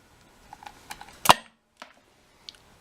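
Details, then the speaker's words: Homemade 12 V electromagnetic contact switch built from scrap solenoid parts, de-energized; a single sharp clack as the plunger drops back, with a few light ticks; it releases normally. "So I'll release it. You hear it clunk again."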